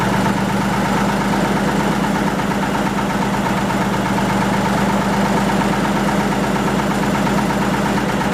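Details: 1940 Lister JP3 single-phase 230 V diesel genset test run after water pump rebuild (slight weep at top radiator hose clamp): steady, even thump at constant speed with no knocks or misses; normal running.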